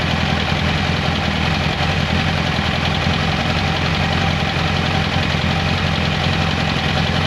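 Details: 1994 Kawasaki Concours ZG1000 (GTR1000), after carb cleaning, new air filter, cleaned airbox, oil change, tank off: even steady low idle with smooth exhaust beat, no knocks or ticks; healthy normal idle.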